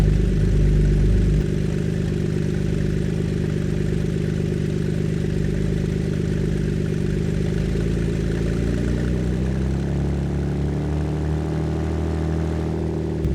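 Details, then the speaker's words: Ford Flex V6 with both front flex exhaust pipes removed, idling around 1000 rpm: deep, loud, gnarly rumble with a raspy burble rising as revs climb; open exhaust. "I kind of like it it sounds really deep and really gnarly"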